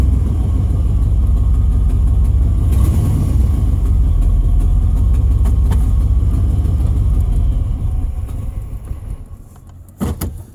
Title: Pedal pumping truck with a bad fuel pump.